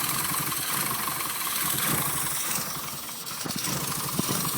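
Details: SPi Rover Mini: uneven idle with irregular sputters and dips, dying when revved and undrivable; the cause was a bad crankshaft position sensor, fixed by replacing it.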